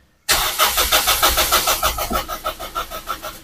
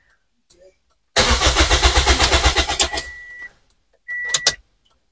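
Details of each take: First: Toyota Vios, cold engine: strong, even cranking at about three turns a second for three seconds that never catches; no fuel pump hum was heard under the passenger seat, so a fuel pump not working is suspected. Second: Toyota Vios, cranked to test the fuel pump with the fuel line off: two cranking bursts of about three seconds with even starter pulses; fuel rises, pump confirmed working, normal cranking.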